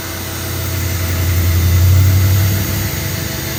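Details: New Canadian Tire Certified 1800 PSI 1.4 GPM corded brushed electric pressure washer, first use: low steady hum swells as the trigger is held then eases, no grinding or chatter; normal operation.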